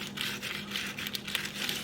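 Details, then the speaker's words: 1947 Ford transmission on teardown, output shaft bearing spun by hand: dry, gritty crackle from a worn, damaged bearing; transmission being rebuilt. "That is very nasty. Good thing we're building this."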